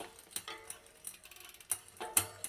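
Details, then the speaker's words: Mountain bike rear derailleur limit/adjustment set too far inboard: sharp irregular click click click over soft chain whir as the chain tries to jump to the next cassette cog; fixed by backing the adjustment out until the clicking stops. "you can hear that noise click click click that's because the chain is trying to jump to the next gear in the cassette"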